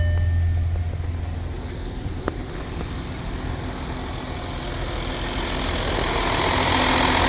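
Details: Audi Q7 after electrical repair (blown fuses, faulty relays, unplugged connectors, key reprogrammed; previously started then cut out, no OBD communication): engine settles into steady low idle hum with no stumbling or cutting out; normal idle.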